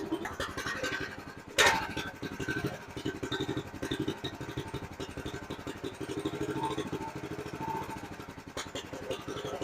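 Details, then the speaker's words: 2005 Chuck Wagon 4x4 UTV with a Honda GX390 single, after head gasket and valve lapping: uneven stumbling idle thumps with missed pulses. Still idling rough, suspected misfire; idle adjustment makes no difference. "I think it's a misfire is what's going on uh it seems to still be idling rough and I really don't make any difference when I'm changing the idle pin"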